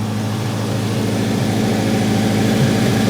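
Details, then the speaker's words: Grinnall Scorpion with newly fitted radiator cooling fan, engine warmed until the fan kicks in, outlet air about 58°C: steady low whirring drone with even airflow and no rattles or scraping; normal cooling fan operation. "and then I'm going to drain it all off again and fill it for the final time with antifreeze coolant okay the fan has just kicked in"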